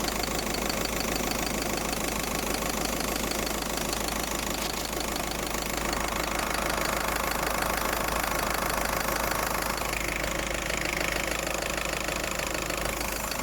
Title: Hissing noise....